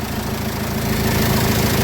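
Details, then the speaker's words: Citroen Jumper 2.2 diesel idling after its oil pump, which failed from debris in the oil and lit the oil light, was replaced with fresh 7 L 5W-30 and a new filter: steady, even clatter, no knocks, running like clockwork. "saat gibi çalışıyor"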